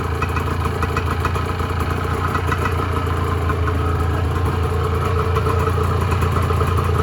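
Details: 1986 Honda NS400R 400cc two-stroke triple after 11 months standing, run on choke to empty the carbs for storage: rough, uneven burble about 214 beats a minute with stumbles as it runs out of fuel; fuel starvation.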